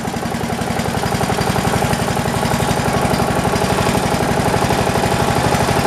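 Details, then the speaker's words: New Poulan Pro 300 EX lawn tractor, throttled down right after starting: steady, even low thump around four beats a second at its lowest idle, no surging or hunting; normal idle. "ready just throttle it down as soon as it starts it idles really nice it doesn't surge that's as far down as it'll idle"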